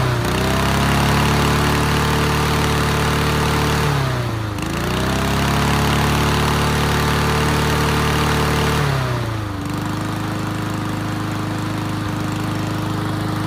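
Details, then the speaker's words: Yard Machines MTD push mower after reseating loose spark plug wire; smooth steady drone, dips briefly twice and recovers, settles evenly; running fine, earlier heavy smoking stopped. "so let's take this back off so now that it's actually running pretty well it was smoking"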